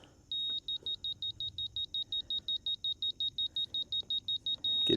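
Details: DeWalt laser detector on a grading rod, used with a DeWalt DW088K laser level on a tripod: rapid high-pitched beeps, nearly three per second, ending in a steady tone as the detector finds the beam; working normally.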